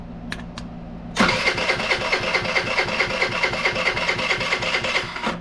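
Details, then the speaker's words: 2020 PMZ50 Honda Grom clone with a 139QMB GY6 engine, theft-recovered: starter spins the engine in steady whirring compression strokes, about two per second, but it never fires; no spark. "All right, gang, we have absolutely no spark."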